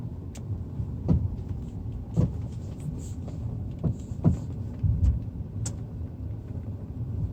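Dull, irregular low thuds about once a second under a quiet road rumble, a hollow knock from the suspension over bumps.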